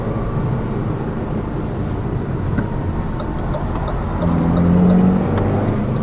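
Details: Lada Vesta Cross with AMT 2.0 robotised gearbox, full load, driving rough road, rail crossings and bridge joints, head-mounted camera; after replacing the front shock struts, stabilizer and engine mount the suspension knock is gone, steady rumble and even engine hum.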